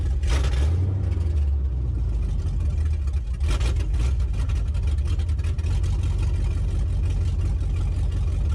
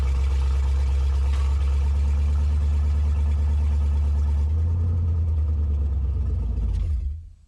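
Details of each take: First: LS-swapped Chevrolet S10 after retuning injector data for 50 lb injectors (42 lb at 43.5 psi run at 58 psi): deep V8 rumble picks up cleanly on throttle blips and settles without stumbling; normal throttle response. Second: S10 truck with LS V8 swap, retuned for 42 lb injectors treated as about 50 lb at 58 psi; scanner connected but reading nothing. Fires, runs a few seconds with uneven low rumble, then dies — starts but stalls, cause unknown.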